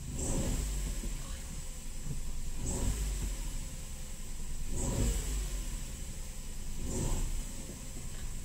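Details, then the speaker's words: Opel Corsa C, 1.0 Ecotec three-cylinder with timing chain: revving up from low rpm is uneven and surging about every two seconds with a labouring beat; worse when driving at low revs; engine damage suspected. "Das hört man jetzt schon, wenn er von unten rauskommt. Das ist nicht gesund eigentlich."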